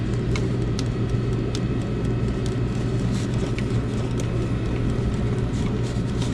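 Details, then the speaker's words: Diesel heater on maximum with the deflector fitted but the screen still missing: a deep, even roar with no misfire, popping or surging; it is burning cleanly and putting out lots of heat. "Yeah. Fixed. Well, except the screen, but he's roaring anyway, so that's good. Got lots of heat going now."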